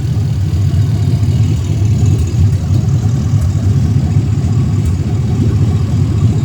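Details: 2016 ambulance L96 6.0 V8 running on the floor; strong, smooth steady idle, no ticking, knocking or missing, smoke-free, nearly new engine; thin intake lets some intake noise through; normal idle.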